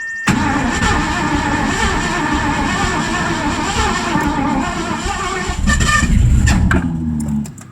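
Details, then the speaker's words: Ford 302 V8 in an 1984 Mazda RX-7 with C4, sat 9 months; cranking on new plug wires with fresh fuel on the carb while adjusting timing, ragged firing and a sharp cough: backfire out the carburetor from still-weak ignition and off timing. "all right we're playing around with the timing here and we've gotten a little bit closer um we still have weak ignition but um anyway give another crank here few pumps so we're getting somewhere backfiring out the carburetor"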